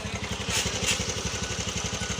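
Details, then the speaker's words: TVS Ntorq BS6 single-cylinder scooter after cam and rocker replacement fixed its fault: even, steady putter at idle with no top-end ticking or clatter; normal idle. "ঠিক আছে তো আমাদের sound ওকে এই যে সমস্যা ছিল camera করার জন্য সমস্যা দেখা দিয়েছিল তো আমাদের গাড়ি কমপ্লিট হয়ে গেছে"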